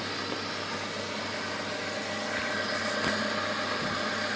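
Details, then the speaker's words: 2003 Kia Spectra GSX, 1.8 L DOHC 16-valve four-cylinder with K&N cone air filter and Bosch Fusion plugs: quiet, even idle with a soft intake hiss and steady pulses, no ticks or knocks; fires up and runs well. "guys you can hear that really sucking in all that air fires up real good"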